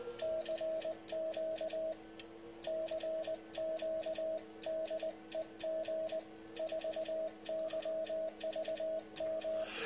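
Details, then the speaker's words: Walford Electronics HF linear amplifier kit driven by a K2 into a power meter and dummy load: sharp QSK relay clicks following Morse sidetone at about 20 words a minute, switching normally; relays dislike 30 wpm. "I really wanted to show you the qsk you can hear the relays clicking with the qsk I turn down the audio on the main rig so it works nicely and Tim wasn't convinced it would but it does and it does work quite well"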